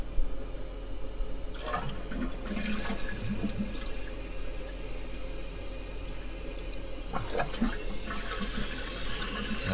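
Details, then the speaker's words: Toilet after a temporary zip-tie repair of a deteriorated Korky flapper, water level set too high: rushing flush then a second surge about five seconds later over refill hiss; double flush, flapper expected to seal for now. "do a double flush there lot of water so other than the water level not being correct I think it's going to seal and be okay for now"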